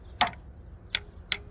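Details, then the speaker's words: 1972 Ford Ranchero junkyard 302 engine being diagnosed by tapping valves with a hammer's weight. Three sharp, clean metallic taps with a crisp springy snap and no rattle afterward: the valve spring springs back solidly, normal. "that sounded solid that springing back that good"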